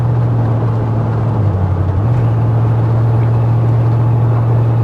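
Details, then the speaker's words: 1995 Ford F-150, bought non-running, on road test at 65 mph: steady low drone at highway speed with a brief dip and recovery in pitch; engine sluggish and bogging slightly under load. "Now there's 65 miles an hour right there, not an issue at all. It is kind of bogging a little bit."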